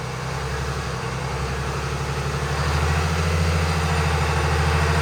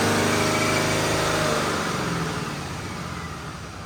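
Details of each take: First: Stock 2020 Cummins automatic on a chassis dyno with the air filter removed and the airbox lid flipped upward: heavy diesel drone under load with a rising turbo whistle, much louder than with the filter in; it ran rough, likely from disrupted mass airflow sensor readings. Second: Stock 2020 Cummins automatic on a chassis dyno, airbox back in: one clean, even full-throttle pull, then a smooth coast-down with no stumble, misfire or surging; about 327 hp and nearly 800 lb-ft around 1800 rpm, possibly not in lockup.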